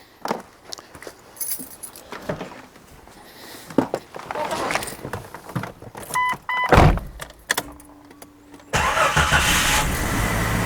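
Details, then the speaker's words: Jeep just after replacing a sticking canister purge valve: engine catches quickly and settles into an even, steady idle with no stumbling. "Yep, sure enough, starts, runs just fine, but hopefully I don't have any more of those intermittent low idle issues."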